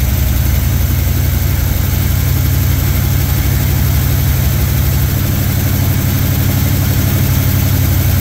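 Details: Chevy squarebody truck parked 19 years, running after timing set: deep, loud rumble with a slightly uneven beat; a little blue exhaust smoke, owner thinks from sitting so long. Rough running.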